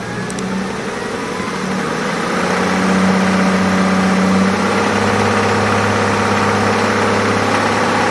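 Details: Toyota Tundra 1GR-FE 4.0L V6 at idle: a fast light tick about four a second rides over the steady hum; the source of the tick is not pinned down, cause suspected, not confirmed.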